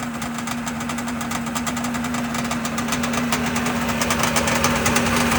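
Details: Sea-Doo 587 two-stroke, first run after rebuilding the Mikuni carbs. Busy, crackly idle with a steady buzzing tone and rapid ticking firing, holding speed evenly.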